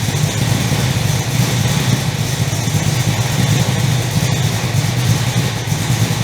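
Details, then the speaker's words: 355 stroker V8 in HX one-tonner, first start in about 11 years since dyno run, fresh BP 98 fuel, in neutral with wheels raised, lavalier mic: steady, even low rumble with no knocks or misses; started easily and idles cleanly. "Okay, so she started. So that was pretty easy actually. I was actually surprised how easy that started."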